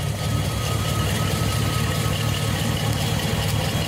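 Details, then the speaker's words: Garden tractor takes a bit to start, then settles to a steady, even low idle with a constant beat and no tapping or stumbling; sounds good. "Takes a bit to start. Yeah. Sounds good."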